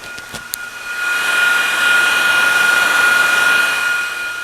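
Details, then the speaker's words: Cargo e-bike hub motor cooler: DC booster driving cooling fans at high speed, jet-engine-like strong rushing whoosh with steady high whine, clean and even; air moving papers. "that's like a jet engine almost 16 I see the papers moving pretty good now"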